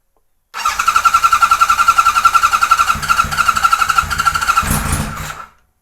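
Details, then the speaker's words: 1978 Kawasaki Z1-R four-cylinder, first start on a stand after carb install, no enricher on: fires and lopes at a slow, uneven idle, then fades and dies after a few seconds; idle speed set too low, needs more idle. "get some more idle a little bit more there's no enricher on by the way"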